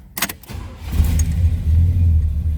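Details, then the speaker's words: 1981 Chevrolet El Camino SS Tribute, era-correct 1981 350 Chevy V8 with 4-speed manual, factory AC car with compressor removed; brief crank, catches quickly and settles into a deep, even idle, normal easy start. "Let's go ahead and fire it up so you can hear it. Nice running, nice sounding car."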